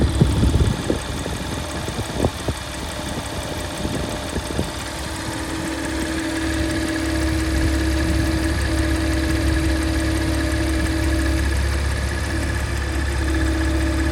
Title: Strange Noise Porsche Macan S